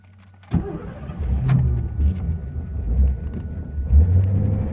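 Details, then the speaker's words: 1985 Ford Thunderbird, cold start, fuel pump wired to a floor switch: starter catches, engine settles into a fast, slightly uneven high idle that sounds reluctant to stay running; service light stays on until high idle ends. "Okay, I was a little extra high, but like when you first start it cold, it sounds like it doesn't want to stay running."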